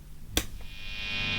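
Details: High-gain guitar amplifier, no guitar playing, before a passive diode noise-gate cable is plugged into the effects loop: click at switch-on, then steady mains hum with buzz and hiss swelling behind it; amplifier hum and buzz.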